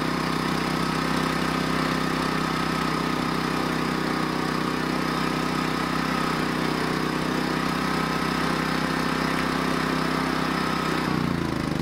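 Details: Champion 3400 dual fuel generator on gasoline with choke, with battery connected: steady, even beat near four pulses a second, no stumbling or surging; running healthy.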